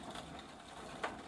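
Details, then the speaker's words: Sparta Railstar bicycle, Shimano coaster brake rear hub, wheel freewheeling off the bike: quiet gritty crunching with odd sharp click; owner suspects ball cage ground up, cones tightened earlier for play, rides perhaps a bit heavy — worn hub bearing grinding. "Now I don't know what's wrong with this thing, but it sounds like one of those ball cages that holds the steel ball bearings"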